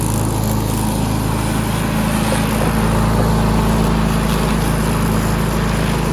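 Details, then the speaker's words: Push mower that sat 6 years with water in the engine, after a new head gasket, with the governor disconnected and throttle adjusted: a constant, even low drone with no misfire, surging or hunting. It runs normally. "This mower's running good now. It runs a lot better with the new head gasket."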